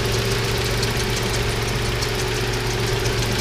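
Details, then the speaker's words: 1988 Toyota 4Runner, 3VZ-E 3.0 L V6, started after taping over the hole in the idle air control valve to cure high idle; steady even idle, now much lower, with no knocks or misses. "the tape is in place now we're going to put the intake elbow back on and start it up idling so much lower"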